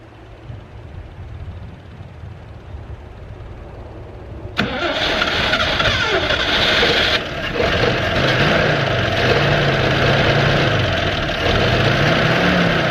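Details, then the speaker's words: 1969 Toyota FJ55 first start in 13 years after installing new correct points: quiet cranking, then catches and settles into steady, even idle about three beats a second with slight lazy surge, fumes entering cab; healthy start. "oh man that is a beautiful sound right there man got some fumes coming into the cab"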